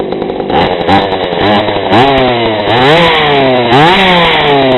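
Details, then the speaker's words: Goped GSR40 two-stroke engine, 603 carb, TGN manifold, mild port, stock coil, before carb adjustment: steady idle buzz, then clean quick revs rising high and dropping back evenly; good idle and throttle response. "good idle good throttle response Sav to rev pretty high for a stock 40 with a stock coil"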